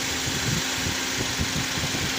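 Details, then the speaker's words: Engine idling after belt tensioner pulley replacement, with the AC then turned on under a steady hiss: even idle with no rattle or chirp from the tensioner; normal. "now the engine is up and running and the sound is okay if the sound is normal right now the AC is not on yet"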